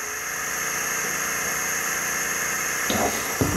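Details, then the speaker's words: Mecpow X3 Pro 10W laser air-assist pump switched on: steady, even hum with a light airy hiss, no knocking or rattling. It struggles on the first two levels, then draws and blows air. Pump runs normally. "quand j'allume sur les deux premiers niveaux ça ne fonctionne pas on sent que ça que ça peine là on sent que ça commence à aspirer de l'air et à l'envoyer"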